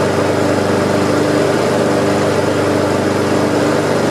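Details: Almost-new Honda HRX217 mower, stress test after oil leak under engine was fixed: loud, constant hum at steady pitch without stumbles or rattles; engine running smoothly and evenly.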